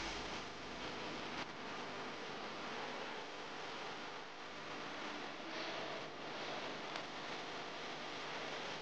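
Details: Household electric fan that only hummed without spinning because the tight, dry motor bearing lacked oil; after oiling it spins freely with a steady airy whoosh, no hum-and-stall or grinding.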